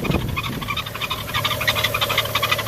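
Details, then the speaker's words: 2011 BMW 335i E90 with N55 engine, 57,000 miles, cold engine, parked: fast, uneven high chirps and squeaks over a quiet idle hum from a worn belt tensioner pulley, before belt and pulley replacement. "I want you guys to hear the sound this is the sound when you pulley tensioner is gone"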